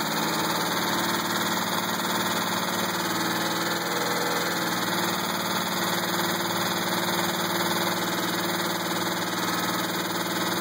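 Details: 2000 GTP engine at idle: persistent knock about four per second, staying consistent as RPM eases; owner doubts rod or flexplate, suspects possibly a spring; unconfirmed.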